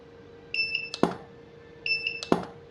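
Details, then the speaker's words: Godox SK-series (SK300/SK400II) studio flash, no E3, firing at full 1/1 power: two rounds of a high two-note beep, each followed by a sharp snap of the tube; it fires and recycles normally. "ya teman-teman, bisa didengarkan tembakannya, mantap ya. Tuh mantap sekali teman-teman ya, tembakannya panasnya berasa, suaranya cukup mengerikan gitu ya."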